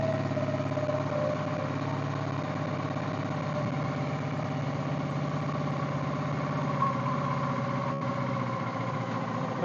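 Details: Suzuki V-Strom DL650 after burnt wiring loom replacement, first start, in neutral: steady, even idle with a smooth low hum and no knocks or stumbles; running cleanly, dash and rev counter working.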